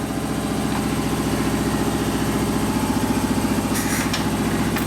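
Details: 1972 Harley-Davidson XL Ironhead Sportster after a second rebuild, due to wasted pistons and a worn pinion bushing: steady, even V-twin idle with a regular loping beat around three pulses a second and no knocks or ticks; normal idle.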